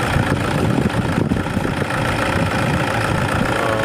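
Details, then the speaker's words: 2010 Toyota Innova idling after alternator pulley removal and repair: smooth, even idle with no chirp, squeal or rattle from the belt side; the earlier noise is gone and the accessory drive sounds healthy. "So ayun mga kauto, wala nang ingay."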